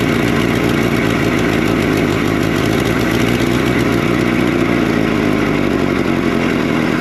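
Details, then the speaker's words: Abandoned 1964–1967 Toyota Stout pickup, 3R four-cylinder, sitting since 1984, no carburetor, fouled plugs after flooding: first start now idles steady and even with a smooth beat, no knocks, misses or smoke; normal idle. "Sounds good. They're idling. Not smoking."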